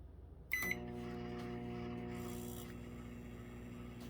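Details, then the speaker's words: Microwave, apparently 900-watt, that had been acting oddly: a short beep, then the cooling fan's low buzz and hum come in and hold level, a normal fan start. "I don't know if you heard that little buzz. That was the fan."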